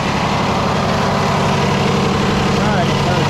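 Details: Freightliner truck with Cummins diesel, broke down with a no-start, held at raised idle to purge air after priming the fuel system: loud, even rumble with no misses or stumbles; normal diesel idle.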